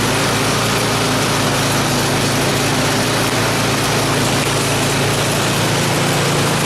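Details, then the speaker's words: Craftsman 26-inch snow blower after auger bearing replacement, started and run with auger engaged: steady, even engine drone with no grinding, squeal or knocking, only slight engine lag under load; healthy. "and so yeah no noise couldn't even tell it was engaged honestly other than the little lag in the engine but I think we're good to go"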